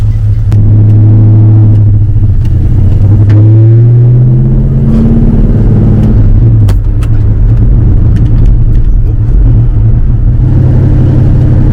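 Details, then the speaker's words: 1971 Ford Torino GT, small block, 3-speed, after no-start fix and repairs: strong even low rumble on the road with smooth rev rises, no knocks, misses or squeals; drives solidly, needs only an alignment. "I think it's a solid ride just uh needs an alignment but that's it"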